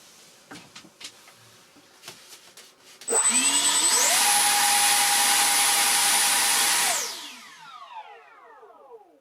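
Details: Su-27 electric ducted-fan jet model: the fans spool up to a clean, steady high whine, hold about three seconds, then wind down smoothly. The fans sound healthy, though the owner suspects damp residue hardened on the fan blades contributed to lack of thrust on the failed maiden.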